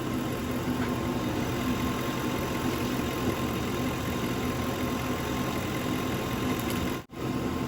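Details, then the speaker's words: 2005 Lincoln Town Car with Ford 4R70W transmission, after fluid and filter change, idling in park after about 10 minutes, at full operating temperature for the dipstick check: quiet, even idle with soft steady hum, no knocks or misses; normal warm idle. "i've let the car run for about 10 minutes so now it's up to full operating temperature"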